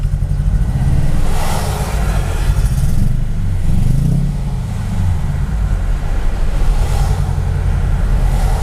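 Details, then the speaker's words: Mercedes-Benz E55 AMG W210 with Kleemann 55-K2 supercharger: deep, lumpy idle swelling and sagging every couple of seconds after hard driving, car wobbling violently, limp mode; multi-cylinder misfire, owner suspected MAF, traced to Bosch F5DC spark plugs. "yeah that's not running right at all"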